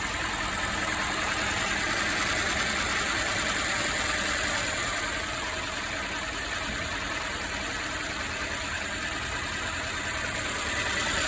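Idle runs unevenly, a steady stumble repeating about three times a second under the hum, the lumpy beat of a misfire.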